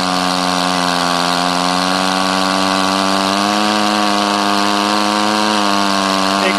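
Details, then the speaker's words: Rebuilt Powerwise ink pump air motor on air line in vise, end cap tightened with crescent wrench after bearing seal fitted: steady buzzing drone whose pitch steps up as compression is gained. Motor sealing well; normal air motor run. "crescent wrench tighten it down you can hear the motor racing a little bit higher because we've gained more compression the motor is running running real well"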